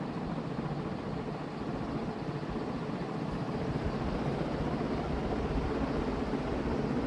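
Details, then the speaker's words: Vintage Dayton 4C721 60-inch industrial ceiling fan, heavy cast-iron motor, aluminium blades, started from off directly to high; soft steady whoosh building slowly to speed, no grinding or rattle; normal fan spin-up. "and it surprisingly still takes a while to get up to speed from high well i guess not surprisingly because it's really heavy"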